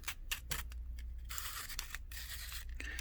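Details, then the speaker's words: Old reel-to-reel tape reel adapter before restoration: harsh gritty crackle in short bursts as its locking mechanism is worked by hand, from dust and sand packed inside the moving parts. "Sounds like there is dust and sand and God knows what."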